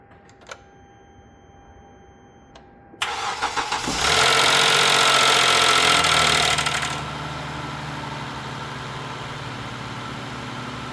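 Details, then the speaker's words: Poorly maintained engine with heavy coolant and oil leaks, found with no coolant and started with a jump pack. The starter cranks, it catches and revs, then idles with a steady, even knock on top; rod knock suspected, though it runs not too badly. "So yeah, most likely the rods are hitting the top or but we definitely got a lot of work to do. So that's what it sounds like and looks like. It doesn't run too bad."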